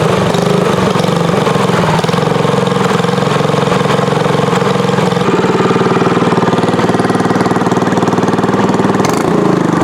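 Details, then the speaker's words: Tillotson 212EE freshly installed on Trailmaster MB200 mini bike with Super Pipe exhaust header, fresh oil and gas: loud, crisp single-cylinder idle with steady pop-pop beat through open pipe, no knocks or misses; normal idle. "Sounds really good."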